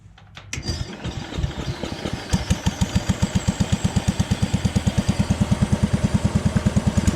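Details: Jacobsen Chief 1000 tractor, Kohler single-cylinder, after fuel system repair, testing electric PTO mower deck: cranks, catches, settles into steady even thump about three per second under mower load; runs and operates pretty good.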